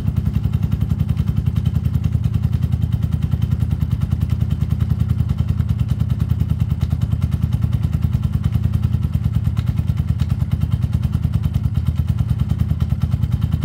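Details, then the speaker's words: Peugeot Tweet 125cc scooter with new top end fitted: owner says earlier it took ages to start after sitting; automatic choke connected. Steady, even putter with a clean regular beat, no misses or cutting out; running healthily. "so it will now start and run all day long okay never cut out"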